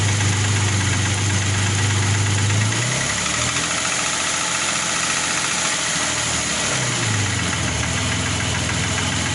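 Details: Engine idling after reassembly: uneven knock under steady hum, coming and going with small speed changes; engine knock, source unclear.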